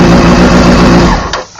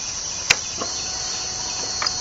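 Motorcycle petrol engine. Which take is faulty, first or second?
first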